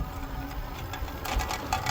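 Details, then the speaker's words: Lectric Xpedition e-bike, about two weeks old, rolling with irregular light metallic rattle and ticking from loose electrical components inside the down tube; fixed by moving the components. "we've really liked it except for this metallic rattle that you can hear"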